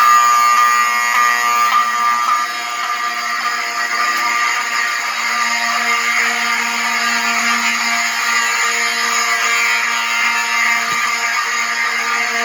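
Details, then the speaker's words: Fire station alarm system with 7002T horns, unsilenced after reactivation: continuous loud horn tones at several layered pitches, steady with no dropouts; normal horn operation. "So I'm gonna unsilence this and make it so you can hear. So all the alarms have different pitches."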